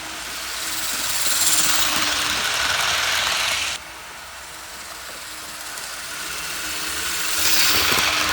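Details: Tyco Burlington Northern GP-20 model locomotive test run after repairs: even high whirring that swells and fades as it passes along the track, no stutter or grind; motor and gears running smoothly.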